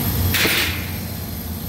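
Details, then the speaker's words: Walk-in freezer rooftop rack compressor with iced coil, box at 33 degrees, lukewarm suction, hot discharge: steady low hum with a brief hissing rush; compressor bypassing internally on its pressure relief. "Walking up to the rack, I can hear a funny noise coming from a compressor, and to me it sounds like a compressor is bypassing on an internal pressure relief."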